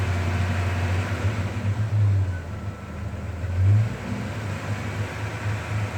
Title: Lifters or rod knock? New rod bearings installed.